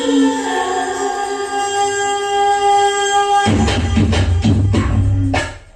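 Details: Kenwood A-58 Pro-logic vintage amplifier after a no-sound fault was fixed by replacing the analog switching IC: clean, steady music output with no hum, crackle or dropouts; normal audio output.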